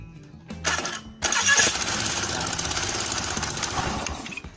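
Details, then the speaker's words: Honda Beat scooter starter dynamo test; owner found a collector that didn't fit or rotate, starter sometimes working, sometimes not; quick starter whir, then the engine catches and settles into an even idle, normal electric start. "friends, that means we can use the starter again, or it's working."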